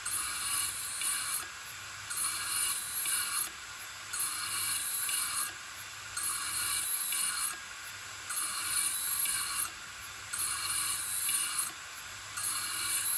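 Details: Old Toshiba 3.5-inch desktop hard drive with mechanical failure, lid removed; dry clicking bursts about every two seconds as the head actuator continuously seeks for data; click of death.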